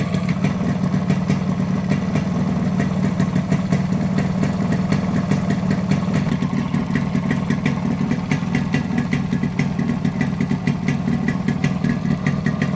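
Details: Modified Yamaha RX100 two-stroke with imported carburetor and Indonesian RX King CDI unit, idling and revving: crisp, even beat with steady exhaust popping, no misses or cut-outs; healthy.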